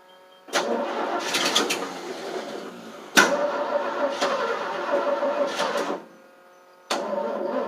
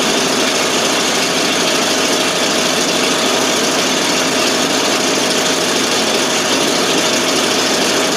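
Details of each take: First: 1988 FMC 6000 with a 5-speed in neutral, clutch pushed in and on booster cables: starter cranks in long bursts with short rests and the engine never catches; hard start because no fuel was reaching the carb. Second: 1988 FMC 6000 with a 5-speed, just started after a long hard start (no fuel was reaching the carb, starting fluid used): loud, hissy, steady exhaust idle with no stumbling, now running by itself.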